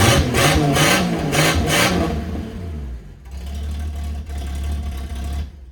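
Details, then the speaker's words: Ford LTD/Fairlane six-cylinder with the old muffler removed, running straight-through. Several quick raw revs, then a deep open burble at idle. Owner says it sounds really good but isn't sure it suits the car. "It actually sounds really good, but I'm just not sure it suits the car."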